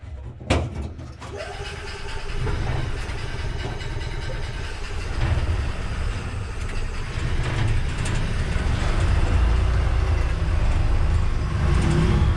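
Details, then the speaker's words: EZ GO GTI 875 golf cart engine starting after a new fuel pump, new fuel lines and a new carburetor; quick crank catches into steady, even putter, no misfires or knocking; good oil pressure, no smoke. "sounds nice I got to eat everything button back up but it does run looks to be a good oil pressure doesn't smoke at all does stink"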